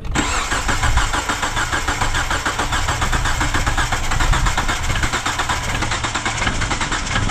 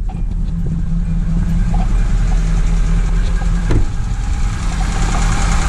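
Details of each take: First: 2009 Hyundai Accent crank-no-start with spark and fuel verified: a steady, fast cranking rhythm that never catches; the timing belt had jumped a couple of teeth (about ten degrees), and after readjustment it ran fine. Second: 2009 Hyundai Accent after readjusting timing belt that had jumped a couple of teeth (about ten degrees), causing crank-no-start: low steady even idle, no misses or knocks; runs normally, owner notes slight shake.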